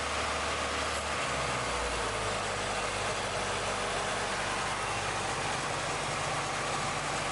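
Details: Red Acura Integra idling too high: fast steady idle, then pitch sags lower and rougher. Coolant leak present; owner suspects dirty IACV or low coolant. Covering the idle air control valve bypass immediately drops RPM.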